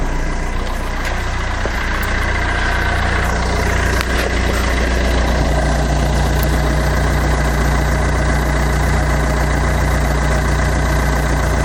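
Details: Fiat Doblo diesel idling after oil sump replacement and exhaust refit, with the bumper off: an even, steady idle with a soft low rumble and no rattle or knock; sounds much better and less bassy than before.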